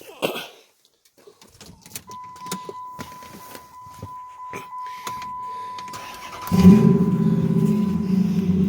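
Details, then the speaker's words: Salvaged 5.7 Hemi V8, bought for a 1928 Dodge, started in its crash-damaged donor vehicle after a fuse-box plug was reseated and the battery, dead since winter, was dealt with. Key noise and door chime, then a quick catch and a strong, even idle with no knocking. "as you can hear motor is pretty healthy"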